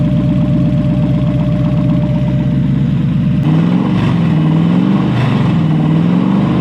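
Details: Toyota 1UZ V8 in a Lamborghini kit car, first start after new wiring with Link ECU and coil-on-plug: catches and settles to a steady, even idle, then clean blips rising and falling smoothly; running healthy.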